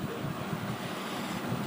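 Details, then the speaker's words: Gas stove that only made noise without lighting, after repair of oversized mixing tip hole: burner lit, short even whooshing roar with no popping or sputter; normal gas burner flame. "यह सब देख सकते हैं कि यह जो problem था या मिक्सिंग टिप्स की वजह से ही आ रहा था"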